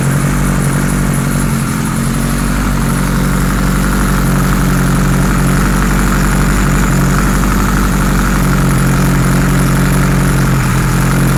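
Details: 1978 Kawasaki Z1-R four-cylinder on the stand, first start after carbs installed, idle raised, no enricher: steady idle with a lumpy, uneven hunting pulse; synchronizer shows carbs 1 and 4 good, 2 and 3 out of sync.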